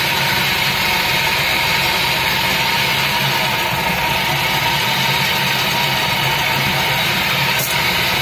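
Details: Daihatsu Gran Max minibus, K3DE 1.3 engine, noisy and lacking power, weaker when hot, pungent smoke: steady idle with harsh rattle over uneven low thrum; rough idle, cause unknown, unsure if injectors, engine to be removed.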